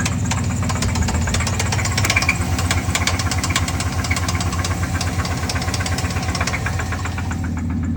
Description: Hoping this video can help others identify the sound of a spun rod bearing. It’s a Chevy 350 - 5.7 L engine.